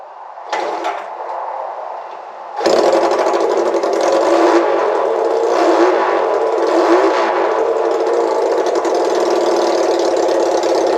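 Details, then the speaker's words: Honda CL175 run with its holed muffler removed before replacement: small single barks, sharp and loud with a raw crackle at every rev; straight open exhaust, far too loud. "I just decided for giggles to try running it some without the muffler just to see what it sounded like. And quite frankly is way too loud for me."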